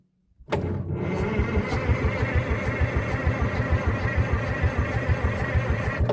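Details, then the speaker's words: 1963 Chamberlain Super 90 tractor, supercharged two-stroke three-cylinder GM Detroit diesel, being revived: long even starter cranking about two compression pulses per second, no firing; cranking sounds healthy, later suspected low compression and fuel not yet sorted. "Sounds fine. Doesn't sound like anything's wrong with it."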